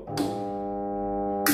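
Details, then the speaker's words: Single-phase 1 HP domestic stone flour mill: loud steady electric buzz with no spin-up, motor stalled because the grinding stones were lowered fully and jammed together; loosening the stones one turn lets it run. "असा आवाज येतो याच कारण अस आहे की दोन्ही जात एकमेकामध्ये आता अडकलेले आहेत"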